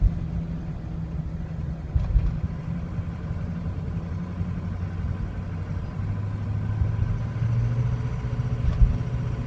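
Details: 2003 Ford Excursion 6.0L Powerstroke diesel with a rough, wavering idle that stumbles once warm and can stall when coasting or standing; it starts fine from cold. Cause unknown.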